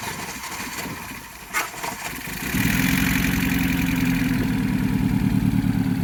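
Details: Astra VXR after oil cooler lines popped off while driving and oil pressure was lost, refilled with oil: slow cranking catches after about two seconds, then a rough clattery idle with a steady beat around three per second; engine considered dead, forged rebuild planned.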